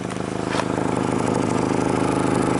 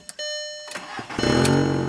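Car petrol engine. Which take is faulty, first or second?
first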